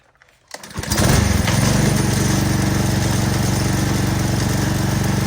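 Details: DeWalt 3300 PSI gas pressure washer with Honda GCV200 engine, a few months old, started to spray through the 15-degree tip. Starts on a short pull and settles straight into a steady, even drone with no misses or knocks; healthy start.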